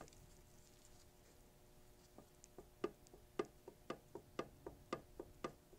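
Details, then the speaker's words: Corvair differential rebuild with 4-spider upgrade: ring gear rocked by hand against pinion gives sharp uneven metallic clicks about two a second, too much ring-and-pinion backlash before tightening the side nut. "hopefully you can see and or hear that so there's quite a bit of backlash there so i'm going to tighten this down until i've gotten that backlash just taken out"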